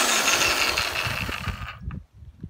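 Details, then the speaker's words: Black & Decker GH3000 electric trimmer after fixing the power switch with a screw: high, even motor whir holds steady, then winds down cleanly when switched off; normal running. "there you go I'll tell you fix your black & decker gh 3000 trimmer with just a screw"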